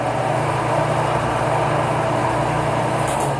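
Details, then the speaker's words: Electric fan after replacing its bushings with bearings, rear cover off: even steady low hum, no more dry-bushing scraping on the shaft; normal running after repair. "Já não tem mais aquele barulho de como se fosse bucha seca raspando no eixo, né? Vejam que já está resolvido aqui o nosso problema, ó."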